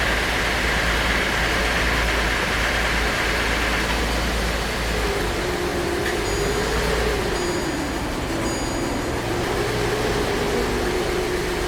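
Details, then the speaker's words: Car with no oil change for 4 years, heavily sludged, running on a mixed flush fluid: uneven, lumpy running with a wandering tone over steady engine noise. It is running rough, not happily. "It's not very happy. Not very happy at all."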